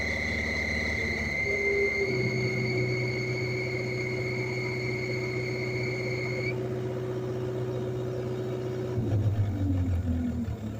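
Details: Kubota KX057-4 excavator diesel: high, steady squeal for about six seconds over an even rumble, then drops to a hiss; owner suspected a vacuum leak but found none; cause not found.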